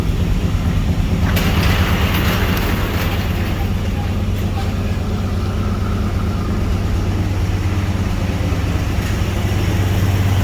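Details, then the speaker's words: 1992 Pontiac Trans Am that had been running rich: steady low rumbling idle with scattered crackles and spits as leftover fuel burns from exhaust; catalytic converter has a hole; much smoother than before. "it sounds a thousand times better holy cow tell you that spitting out spitting out all the old fuel that was left in the exhaust"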